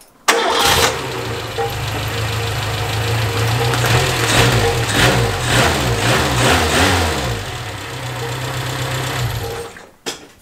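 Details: Renault 5, fired up after repairing a fault that caused a loud bang and power loss: catches on the first turn and settles into a steady, even idle with no misfire or stumble; normal start after the simple fix.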